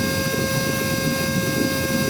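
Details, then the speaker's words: Cordless vacuum (little dolphin) run from a full charge, about 4:44 into the run. A steady high motor whine with airflow rush, pitched lower than at full power as the battery weakens. The motor power is dropping. "The power already coming down. Power coming down now. You can see the power sound is coming down."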